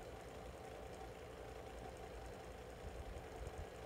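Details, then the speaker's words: SMC 6-inch desk fan, cleaned, on low speed: steady whirring hum with rough, uneven low rumble, much louder than expected; cause unknown. "also this fans making a decent amount of noise I rather not use this at the register"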